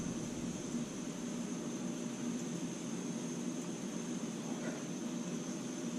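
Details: MSR Whisperlite Universal stove burning 70% rubbing alcohol, valve opened up: a steady, even hissing roar with no popping or sputtering. Normal, stable burn before it starts spitting at higher output.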